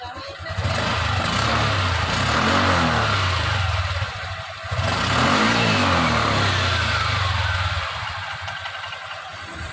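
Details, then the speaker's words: Honda Click 125 scooter started after replacing the torque drive bearing and refitting the crankcase cover: engine catches and two clean revs rise and fall smoothly with no grinding or rumble from the drive; the noise is gone, running normally. "Yun ang kanyang ingay ay nawawala na mga kamotor."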